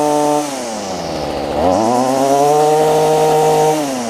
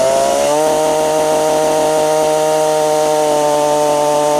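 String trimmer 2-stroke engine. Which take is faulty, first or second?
second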